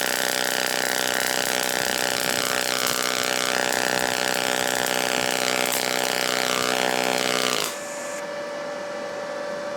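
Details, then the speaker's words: Firstess (Yeswelder) DP200 dual pulse MIG welder in pulse mode, 0.035 wire, 14-gauge steel T-weld, non-recommended shielding gas: steady, even buzzing hum with fixed pulsing pitch for about eight seconds, then stops, sounding different from standard MIG; smooth, stable pulse weld. "Now you can definitely hear it sounds different. Yeah. Yeah. But I mean it the welding process is very nice."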